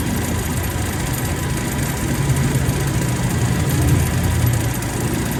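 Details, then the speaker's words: Toyota Revo, idling with AC on before repair: rough, uneven knocking chatter from the AC compressor. The mechanic attributes the noise to the compressor being low on or dried of oil and says adding oil usually cures it. "Minsan marami na tayong nagamot nito kulang sa langis. nawawala yang ingay na yan"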